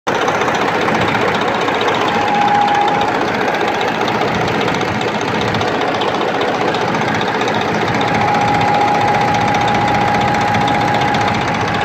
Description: Injector harness is loose and was not connected correctly.